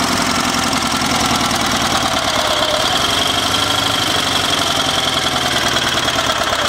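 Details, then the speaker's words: Sears SS/16 V-twin garden tractor idling: a light, steady tapping rides over the exhaust beat. The oil was below the add line when it was bought, and the owner fears rod knock, but the cause is unconfirmed; it smokes little once warm. "there's that knock and as you know i'm kind of worried about knocks the oil level was below the add line when i got the tractor so hopefully they didn't damage the engine"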